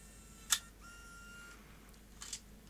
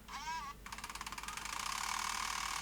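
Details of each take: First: Sony DCR-IP7E MicroMV camcorder after repair, test-ejecting without a tape: a crisp latch click, a short smooth motor whir, then clean clicks as it closes. The tape mechanism works normally. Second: Sony DCR-IP7E MicroMV camcorder: over a high whir, a rapid clicking clonk about ten times a second that quickens as the reel speeds up. The take-up reel table is cracked right through and the gear tooth catches the crack each turn.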